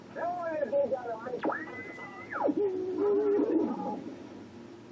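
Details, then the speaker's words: Philco 077 RF signal generator restoration, B-scale coil being tweaked during calibration against a radio station: whistle slides up to a high steady note then falls to a low wavering tone as dial passes station, the normal heterodyne beat note. "I gotta get in there and make sure I get the right coil and tweak it until we don't hear the radio station anymore"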